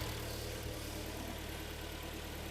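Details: Hyundai/Kia G4KD petrol engine just after overhaul, AC compressor whistle now gone: quiet, even idle with a smooth low hum, no knock, tick or whistle; normal idle.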